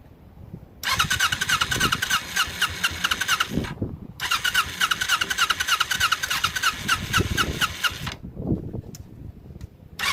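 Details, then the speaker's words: Ninja motorcycle under restoration with carburetor problems, started after a fuel splitter was fitted to both fuel lines: catches with uneven, stumbling bursts, already flooding out, and keeps dropping away; hard start and rough running. "Now, let's see if it starts. Oh, it's already flooding out."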